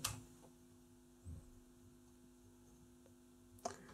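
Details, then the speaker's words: Philips Reverbeo B7X14A stereo valve radio under restoration, first power-up on long wave at max volume with a mini whip antenna; faint mains hum and soft clicks, no stations: EBF89 fitted in place of the EF89, no reception. "did i get the tubes right oh you idiot see how stupid mistakes are made i put the ebf 89 ebf 89 yep in the place of the ef-89 no wonder it didn't work"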